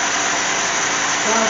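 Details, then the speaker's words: 2007 Cadillac GM 3.6 VVT engine after replacing #1 cylinder fuel injector and coil for a misfire (new spark plugs hadn't fixed it): short burst of smooth, even idle with no stumble or miss; sounds okay, all cylinders firing. "let's see if she runs well it sounds okay let's go ahead and double check and make sure these are snug"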